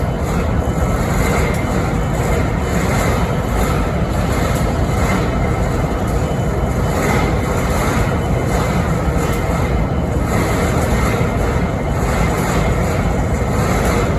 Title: Strange Noise on BNSF 5910 idle’s in Springfield Missouri 11-13-2022